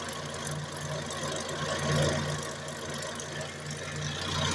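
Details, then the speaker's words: Car with front left wheel locked at the differential and drive switched to the front right wheel, phone held close: a steady low howl over the running engine from the worn front right wheel bearing. "przerzucamy napęd na przednie prawe i ja już słyszę. A tobie dam telefon bliżej. I na 100% wyje przednie prawe łożysko."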